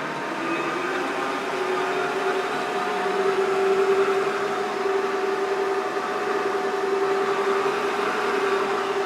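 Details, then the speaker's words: Creworks 8x16 mini metal lathe, cover off, after lubricating the gear train: smooth, even whir with steady mid-pitched hum, no clatter or grinding; much quieter than before, normal running. "we go you can already tell this thing is much quieter [Applause] with some actual lubrication on those [Music] gears"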